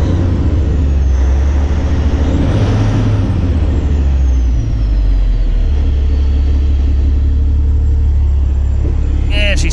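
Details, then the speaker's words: Truck's Cummins diesel idling after installing a CM2250 short-block fuel pump with new floating-pin tappets and replaced plungers and barrels: deep, steady low rumble with no knocks or misses, brief air hiss at end, no check engine light; sounds good. "Nice to not have a check engine light. Sounds good."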